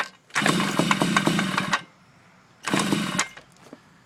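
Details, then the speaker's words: Yamaha Chappy scooter after HPI system install, possibly flooded, on prime then choke: two short bursts of uneven choppy cranking without catching; later runs, owner suspects too many grounds/kill switches. "it off, choke. Doesn't sound right."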